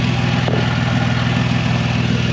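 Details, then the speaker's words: Nissan 350Z with Tomei titanium exhaust, recorded from under the car at startup idle: loud rapid puffing tick with every firing pulse, an exhaust leak at the stock header flange, which has missing bolts. The stock section is damaged. "It's obviously leaking underneath where that exhaust is completely toast. That sounds so fucked."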